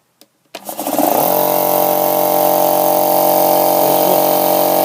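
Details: 50-litre air compressor after a new capacitor was fitted: a switch click, then the motor spins up quickly and settles into a steady, even hum, with far higher revs than with the old capacitor.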